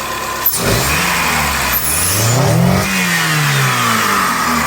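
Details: Chrysler Voyager that coughed after long running on LPG with clogged petrol injectors: engine climbs and falls through several clean revs without stumbling or popping, running smoothly on gas.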